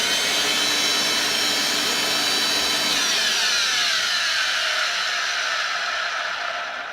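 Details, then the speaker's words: Electrolux cleaner, cleaned out and switched on: high, hissy motor whine with a faint wavering pitch that sags near the end; motor sounds dry and could do with oiling. "motor could do with oiling definitely"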